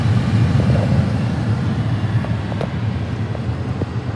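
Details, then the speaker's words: 2007 Honda Accord after blower motor resistor replacement, ignition on to test: steady, even rushing of air with a low motor drone and no ticking, scraping or cutting out; blower motor working normally. "so before i plug them back in i want to turn on the ignition power see this motor run"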